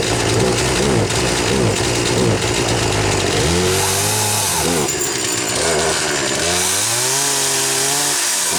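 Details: 2009 Wen 3814 chainsaw, a Homelite 25AV variant with little wear. Two-stroke buzz rises and falls cleanly with each throttle blip, idling back evenly between revs: a healthy saw running normally.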